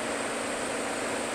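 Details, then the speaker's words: Walk-in cooler that won't go below 55°F: steady hiss at the TXV, suspected underfeeding from low refrigerant charge. "there's a hissing noise and it's probably by the guests it's probably my TXV underfeeding meaning we're low on charge"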